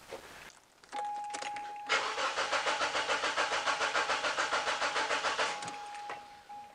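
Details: Mazda 626 petrol with an intermittent no-start: starter cranks at about three beats a second for several seconds, never catches; worn fuel pump starving the engine.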